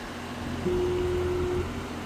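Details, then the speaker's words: Outdoor residential AC condenser running but not cooling, with the suction line warm: an abnormal steady electrical buzz over the fan and unit hum. The failed run capacitor was then replaced, restoring cold air. "Another thing that I'm hearing is a buzzing sound while this unit is running. You hear that? That buzzing sound isn't normal."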